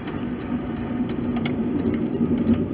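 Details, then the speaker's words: 1993 right-hand-drive Subaru Legacy L wagon (Gen 1, 4WD) on a test drive: rough intermittent scraping over the road noise from the back left wheel brake; brake grinding. "hear that break how horrible it is it's just that back left wheel though"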